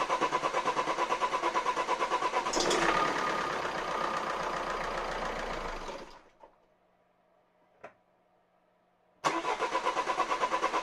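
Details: Renault Scenic 1.9 dCi 120 hp overhead-cam diesel after injector replacement. A sharp metallic clatter of about three knocks a second rides over the idle and persists after restart; valve clearances checked fine (intake under 0.2 mm, exhaust 0.45 mm), so engine removal is planned.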